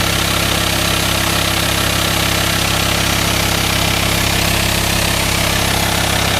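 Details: VW Transporter T5 LWB T32 2.5 diesel 6-speed camper conversion, 1500 miles since purchase, no aux belt driving pulleys: even idle with a constant airy engine-bay hiss, suspected vacuum leak, source not yet identified.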